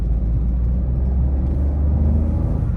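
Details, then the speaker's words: Maruti Dzire 2025 (ZXI+) driving in second gear; deep even engine drone builds smoothly under throttle, no knocks or whine; owner says the noise is normal, nothing much; normal engine rev noise. "भाई normal है। इतनी भी कोई आवाज नहीं है।"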